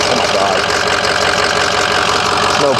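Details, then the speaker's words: 2006 Ford 6.0L Powerstroke diesel, first start at purchase, not yet driven hot: even diesel clatter at a steady idle with no stumbles or extra knocks; blowby check showed zero blowby; healthy. "stay tuned first start in the 60 see what happens sounds good so far I'm taking a blowby"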